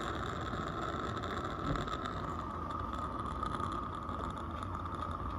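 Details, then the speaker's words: Accucraft Ruby 5 live-steam locomotive, butane burner just lit while cold: steady soft roar with a faint constant hiss-tone, no sputtering or popping; gas burner burning evenly, normal. "There she roars. You want to shake it a little bit. Get it warmed up here."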